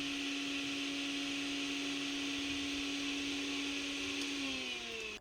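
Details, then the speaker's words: Mixer grinder motor run without the jar, no load: steady high-pitched whine with brush hiss, pitch falling at switch-off; sounds normal, with no excessive noise. "आवाज बिल्कुल normal है यानी इसमें किसी तरह की कोई भी ज्यादा आवाज नहीं आ रही है"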